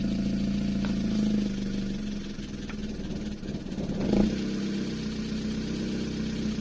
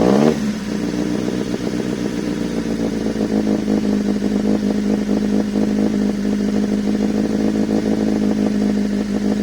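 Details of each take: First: Toyota 2E with newly installed 270–272 duration TRD regrind camshaft, first startup before valve adjustment; fast light ticking over idle following revs; valve tick from incorrect, excessive valve clearances. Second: Toyota 2E fitted with a 272-duration TRD-spec performance camshaft, first startup after install: engine won't settle, throttle held just off idle over a choppy, aggressive lope, trying to shoot flames at idle; lumpy cam idle.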